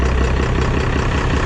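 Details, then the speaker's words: 24-valve diesel pickup after injection pump swap, pump timed to stock, not fully warmed up, intake removed: deep idle with raw hollow huffing over the clatter; owner guesses possible timing issue, but noise is open intake induction. "I'm not an expert at this, I'm not a genius, that's my educated guess. But sounds weird is because the intake's off."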